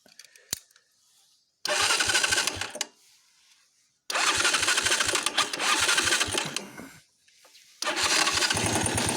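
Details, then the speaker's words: Viper 125J motorcycle engine, 10 years old, in short bursts of running with fast uneven tapping about three per second; top-end knock, owner suspects camshaft bearing since camshaft and bushing are fine, unconfirmed. "Но вот на днях что-то с ним случилось. Начал он тарабанить."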